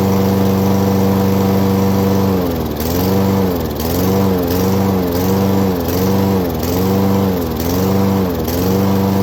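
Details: 2011 Craftsman lawnmower 247.371240 running after its carburetor was cleaned twice and the spark plug replaced: a steady single-cylinder note, gently rising and falling about once a second; otherwise healthy.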